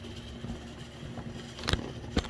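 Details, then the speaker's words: MDC Roundhouse kit Shay model locomotive with the most powerful motor fitted and a DZ123 DCC decoder, reversing at speed step 6 while pulling a heavy car: faint steady low-mid gear whine with sharp clicks; the gearbox always makes this noise despite sound-reduction work. "Now I've done everything I can about the sound. But that gearbox in there is always going to make that sound."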